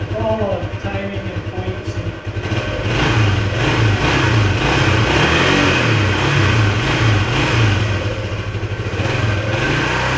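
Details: 1976 Honda XL175 after restoration, riding: the engine note flares up and hangs at high revs without pulling the bike along. The clutch is slipping, worse than before.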